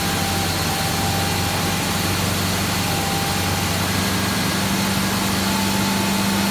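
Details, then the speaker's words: 1987 Dodge Power Ram 50 4x4, 2.6 L Mitsubishi engine, factory Mikuni carburetor, 100,000 miles, dead cold start: steady, even smooth idle at the carburetor's staged high idle before dropping to 800 rpm warm; no misses or knocks. "runs super smooth this uh Mitsubishi 2.6 with the factory Mikuni carburetor so that's three high as two high idle speeds and a normal height of speed"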